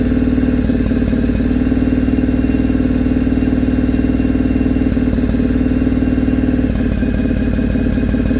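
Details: Carbureted engine misfiring after fitting a 2-into-1 exhaust, high flow filter and jet kit: rough idle at about three beats a second with stumbles and dropouts; owner suspects carbs need tuning, rich/lean or ignition unconfirmed.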